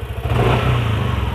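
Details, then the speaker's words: Yamaha NMAX scooter with a harsh rattle at the end of throttle, once blamed on a loose CVT pulley fan and slider: with the cam chain tensioner pushed fully in, a throttle blip gives an even drone and clean rise with no rattle; faulty tensioner confirmed as cause. "tonjok hanya saya tonjokin sampai volt sampai bener-bener mentok dan alhasil suaranya ini langsung hilang Bang"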